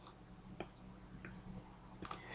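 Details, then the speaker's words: Crude relay-based switching voltage regulator, no load connected: sparse irregular relay ticking about every half second; normal no-load switching. "I don't know if you can hear that occasional ticking noise that it's making maybe if I put the microphone right up close to the relay maybe you could hear that"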